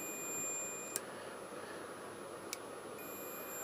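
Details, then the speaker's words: Suzuki GSXR 1000 front brake light switch continuity test: steady high meter tone cuts out about two seconds and returns; the switch, treated with penetrating oil to drive out moisture, makes and breaks properly again. "all good all good back to life"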